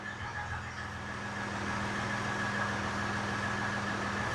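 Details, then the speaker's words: 2015 Ram EcoDiesel, tuned, after fixing a crank-no-start caused by blocked intake airflow at the throttle body: low steady diesel clatter with even hum, no stumbling or hunting; idles smoothly, running fine. "41 5,000 6,000 7,000 8,000 it's running fine now"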